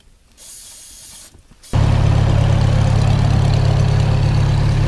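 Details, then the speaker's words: Farmall M tractor after drying a snow-wet distributor that caused rough idle: engine catches and settles into a steady, even low beat about four per second with no misses; normal idle. "I'm just gonna come down and check on and make sure things still running just fine running good no troubles here"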